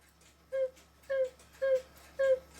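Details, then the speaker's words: Swiss-style German clock whistle box after cleaning sawdust-like debris from the reed and back board and re-gluing the top: four clear, evenly spaced mid-pitched toots. The whistle sounds properly again. "now it makes a [Music] sound that's better than nothing and all it was is removing this board carefully and cleaning the re that blows across right at the opening right against this board here"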